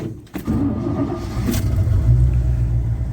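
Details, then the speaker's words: Cold start of an old manual truck after replacing the battery cables on the side terminals: cranks briefly, catches at once and settles to a steady low idle; previously the poor cables prevented starting. "now i if i if i try to do that before the way those old cables were to the side terminals they wouldn't started like like that"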